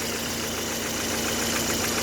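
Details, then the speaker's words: Lada Granta 8-valve petrol engine at idle after replacing lifters and adjusting valves, compression normal: light quick metallic tapping persists; owner suspects valves, cause unknown. "что-то стучит толкачи поменял маски карточки поменяла отрегулировал клапана звук не уходит"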